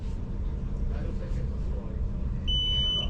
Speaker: continuity if you hear the beep across we have continuity and this fuse is good hold this fuse is good